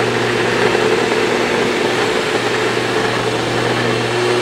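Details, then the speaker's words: Sebo Evolution 350 commercial vacuum during reassembly after fitting a new brush: steady motor hum with an even whirring roar, brush roll still not sounding right; cause unclear, owner noticed a small toothed belt worn on one side. "so hmm now the brush rolls still doesn't sound 100 in there i don't know why let me turn it on"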